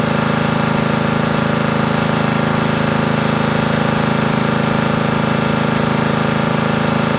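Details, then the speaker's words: Briggs & Stratton 13.5 cast-iron-sleeve riding mower engine, bench-mounted, gas fed to bowl after flooding; steady fast single-cylinder putter, even here, though it runs then hits a point where it won't turn over; owner suspected hydrolock from excess gas, wonders about mouse nest. "The good thing is that it will run. The strange thing is, it seems to kind of hit a point where it doesn't want to turn over."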